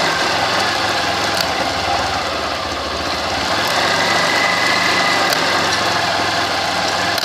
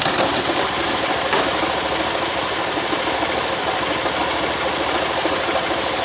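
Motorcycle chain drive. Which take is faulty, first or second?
first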